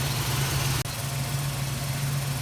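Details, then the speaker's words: Plymouth Duster carbureted engine (Holley) at operating temperature after carburetor repair for rich running and stalling in gear, during final idle mixture adjustment; smooth, even, settled low idle with no stumbling or hunting. "okay with it up to temperature we're just going to make our final mixture setting adjustments"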